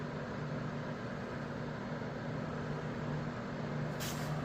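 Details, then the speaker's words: Master Electric 750-1500W small space heater after repair, running on 750 W and heating: steady, even fan hum and airflow with no rattle, scraping or speed changes; normal running. "It is heating, doing just right. That's the 750."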